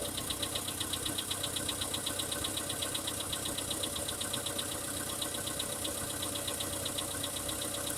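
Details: VW Polo Sedan at cold idle: a light, even ticking knock at about 1.5 per second. A cold-start engine knock; cause suspected, not confirmed.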